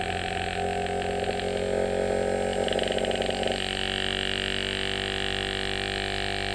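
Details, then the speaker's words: Inverter compressor (bench demo) starting slow then automatically stepping up speed: smooth steady motor hum that steps up in pitch and settles higher at top speed; running normally. "இந்த top speed எடுத்துருச்சு. இதே மாதிரிதான் கூலிங்க ஏத்த மாதிரி இந்த compressor ஓடும்"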